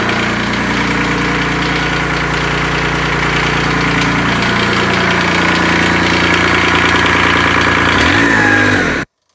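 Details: Kubota D600 diesel swapped into a Case 220 hydraulic-drive mower tractor (16.5 hp), running and driving, warm: steady, even diesel patter at a settled idle with no knocks or misses; normal idle.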